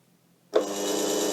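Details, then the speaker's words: Restored 6x9 belt/disc sander-linisher with a DC treadmill motor on an SCR controller, powered on with the potentiometer turned up: the motor spins quickly to a steady, smooth, even mid-pitched hum with no rattle or grinding. It runs happily. "you can hear the motor kick up which is over here running happily very nice indeed"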